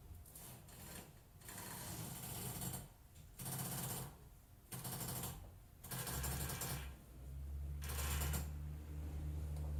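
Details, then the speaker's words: Audi A6 C6 lifted with the wheels off the ground: repeated creaking and squeaking bursts with a low groan as the steering turns; worn control arms, with sway bar links also destroyed, are suspected. "listen to the squeaking / roaming noise from the suspension when I turn ready go"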